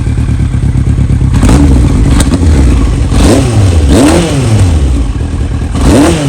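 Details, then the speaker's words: Yamaha R1 motorcycle, carbureted, partly warmed (about 131 degrees), revved with throttle blips: revs rise and sag unevenly, stumbling and clattering; hesitation on acceleration, owner suspects dirty carbs. "A little gas ain't too bad, but so the carbs are definitely dirty, as you can hear."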